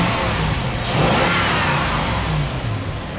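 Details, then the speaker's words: Engine at about 302,000 miles that a repair shop said needed replacing, after repair: clean rise and fall on revs with no puffing or ticking, no exhaust manifold leak, no smoke; very smooth and healthy. "This engine sounds great. There's no exhaust leaks. Very smooth."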